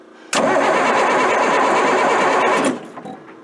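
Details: Military Deuce 'n a Half diesel truck after injection pump work, with fuel delivery problems, in cold rainy weather: starter churns steadily about two seconds then stops without catching; cranks but won't fire.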